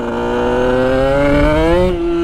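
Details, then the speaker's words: Sherco 50 SM supermoto with 77cc Metrakit two-stroke, riding: note climbs sluggishly and labours through the midrange, then clears near the end; flat spot roughly 5,500–7,500 rpm, loading up. "it's that six sixty five hundred to seventy five hundred range it's just or fifty five hundred this does not like that spot"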